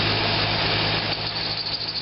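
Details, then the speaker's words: Corvette V8 at idle with a high thin squeal and chirp; water sprayed on the harmonic balancer briefly quiets it, tensioner movement doesn't change it; suspected half-worn serpentine belt or belt brand, not confirmed. "now it's like a little chirpy thing you ready here's the spray gone so I don't know no matter how you slice"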